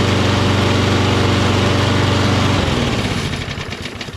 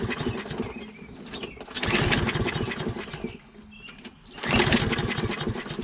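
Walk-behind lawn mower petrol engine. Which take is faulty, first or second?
second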